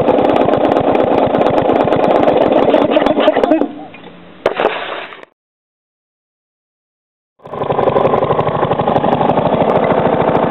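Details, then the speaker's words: Three-year-old Briggs & Stratton lawnmower engine, fresh oil, started after sitting 6–8 months, revs slowed almost to stalling: a heavy, uneven thump each revolution. It is knocking; owner unsure, suspects improper combustion or a loose, worn part. "so you can hear the knocking cuz when I rev it up you obviously can't really hear it that well cuz the the sound of the engine muffles it"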